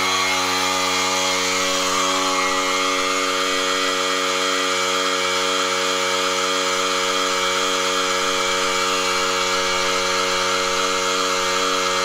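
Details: Air compressor powered by a DIY 48V LiTime battery and 3000 W inverter: steady motor hum with constant pitch and no stalling, bogging or rattle; the compressor runs normally on this supply.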